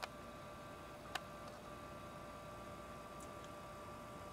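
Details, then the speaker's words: Gaming PC with Nvidia GTX 1080 Ti graphics card and Intel i7-7700K: faint steady high-pitched coil whine from the graphics card, varying with its load, heard in a quiet room. "the coil whine happens when the transistors inside the graphics card vibrate and make this high-pitched noise and that noise is based off of the load that the graphics card is under"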